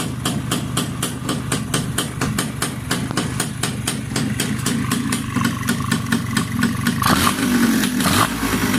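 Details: Yamaha Y100 two-stroke motorcycle after fitting an Uma Racing coil and plug and servicing the silencer: crisp, even popping at idle with a steady beat and a small blip of revs near the end; runs clean.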